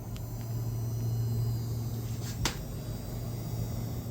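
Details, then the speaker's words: RTX 5090 Founders Edition with a Ryzen 9 9900X in a 15L Ncase M2 SFF case, under heavy load near 480 W, GPU about 73°C: thin high-pitched coil whine over the fan hum. It persisted after a PSU swap and RMA. "100% coming from the GPU. Can hear it way over the fans."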